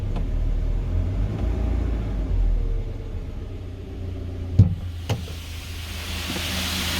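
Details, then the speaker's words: 2020 GAZelle Business, UMZ-4216 EvoTech 2.7, 823 km, warm at about 90–95°C after replacing one faulty hydraulic lifter that tapped when hot: even low idle rumble, no lifter tapping; problem solved. "двигатель у нас прогрелся температура примерно 90 95 вот уже более менее то есть тише работает уже никакого стука"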